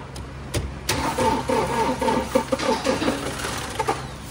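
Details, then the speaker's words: Toyota Fortuner that suddenly would not start, and another technician also failed to start it: the starter churns with a steady chugging beat for about three seconds but the engine never catches. Cranks but no start, from an ECU/electrical control fault. "Sige an mga boss nag-try nga tayong paandarin pero ayaw na talaga umandar. So ang nangyari nito ah biglang ah ayaw ng umandar no."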